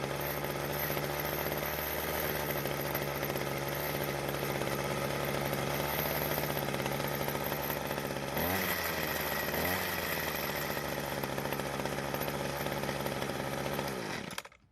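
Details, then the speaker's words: Weed Eater two-stroke hedge trimmer: buzzes at steady high speed, picks up cleanly on throttle, then shuts off. Runs smooth; normal running. "so it seems to be working just fine now but it could have been much worse"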